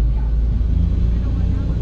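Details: Ford Everest after no-crank no-start fixed by repairing BCM shorted by rodent-chewed wiring: deep steady low idle rumble with smooth even beat, no knocks or squeals; running normally.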